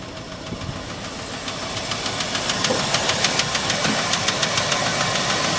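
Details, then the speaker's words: Ford F350 cherry picker truck after a hard start: sharp, light ticking at three to four per second over the idle, growing as it settles; a valve tap, engine otherwise running well. "Check the oil before you started it. She sure runs good. Got a little bit of a valve tap."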